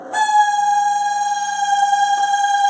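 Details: Nearly 20-year-old 220 V microwave, model AMW G 925 CSG, started on 30 seconds with water inside: loud, steady high squeal from the cooling fan's dry plastic shaft bushing.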